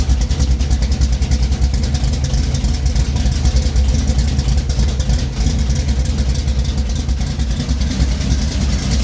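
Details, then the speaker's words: 1973 Plymouth Duster 440 V8 (bored .030 over) idling after a cold start following a week sitting: a loud, deep, lumpy idle with steady chop from a big cam and headers; normal idle. "let me get off i could talk loud because the car is loud"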